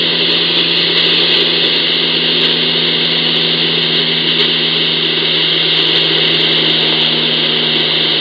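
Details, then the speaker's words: Ecoflow River 2 Pro inverter running, ham radio receiver tuned near 49.53 with the powered speakers off: loud steady hiss and buzz with fixed tones and spikes on the display, gone as soon as the inverter is killed; radiated inverter RFI. "with the front speakers even with the powered speakers off but as soon as I kill the inverter the noise goes away again"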